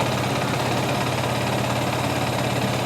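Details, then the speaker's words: 2021 Yamaha R15 V3 motorcycle at 25,000 km: steady, even single-cylinder idle with no knocking, ticking or bearing noise from inside the engine; the engine is healthy. "এই দেখেন কোন ইঞ্জিনে আওয়াজ নেই"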